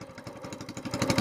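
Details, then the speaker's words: SPS longtail mud motor, small single-cylinder, newly built, cold start on a very cold morning, run on choke then choke off, warming four to five minutes before oil change; quick even idle about eight beats a second, clean; normal cold-start idle. "all right it's really cold out here this morning so we're just going to crank it up let them run five four or five minutes get good and warm I've got the choke still on there the choke off now just now idling"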